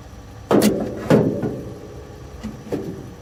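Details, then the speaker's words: 1971 GMC Camper Special 3/4-ton V8, first start attempt after 18+ years off the road, fuel fed through the old pre-lubed pump: two brief catches then dies, starving; owner suspects the pump isn't pumping, a clogged tank sock or a siphon problem. "Oh yeah, that pump's just not pumping. Could be the tank, could be the sock."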